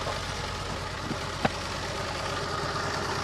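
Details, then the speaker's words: Renault Alpine V6 Turbo (GTA) engine idling unevenly with a lumpy, stumbling beat, one cylinder dropping out; owner suspects a stuck fuel injector causing the misfire. "nicht richtig funktioniert, also habe ich gestern gesehen, wie er gezündet hat , aber ich denke, dass es sich um eine festsitzende Einspritzdüse handelt ."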